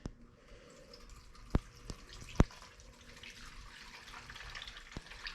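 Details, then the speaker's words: Free salvaged snow blower, engine off after fresh spark plug and fuel added: a few slow irregular drips as fuel leaks out of the carburetor because the float has sunk with fuel in it. "i don't know if you can hear that or not but there is definitely fuel in this float"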